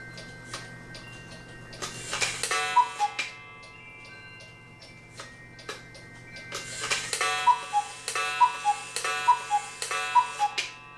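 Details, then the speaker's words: Cuckoo clock after repair, gong refitted: steady ticking with cuckoo notes and gong strikes plus sharp crackling snaps during the strike, possibly from the gong sitting too far out where it screws in. "now got with this back on you hear that snapping sound in there which i don't know what that is sounds like electric arc but this is not electric clock"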